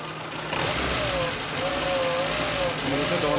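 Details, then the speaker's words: Renault Logan with CNG methane kit, 30,000 km: a thin whistle wavers with revs, heard only on gas and never on petrol, blamed on the Tomasetto AT-12 pressure reducer. "вот этот писк присвоит только на газу соответственно на бензин такого нету на бензине как бы мы ни делали такого нет соответственно проблемы именно газом на оборудование проблема это в редукторе редуктор tomasetto от и 12"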